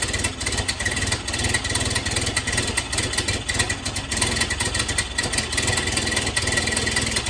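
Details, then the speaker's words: 1931 Ford Model A four-cylinder, long stored in a barn, just started with starting fluid; lumpy, uneven idle with loose low chuffing and hissing; timing advanced fully just to idle, owner thinks ignition timing is far off. "so I had to advance the timing all the way down just to get it to really idle so it's uh timing I think is pretty far off"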